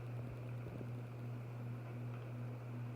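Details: Harbor Breeze 52-inch Triton ceiling fan, remote-controlled, running on high: low steady hum with soft even whoosh about three pulses a second, no ticking or wobble; runs smoothly.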